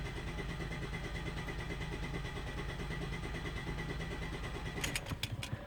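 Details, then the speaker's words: 2013 Ford Escape 1.6 L turbo gasoline direct injection, misfire on cylinder 2; scan-tool relative compression test, throttle floored, cranking 10 seconds; even steady starter pulse, no uneven beats; compression healthy, normal cranking. "ممكن اشوف relative compression، اتاكد ان الموتور. ادوس البنزين على الاخر، crank for 10 second."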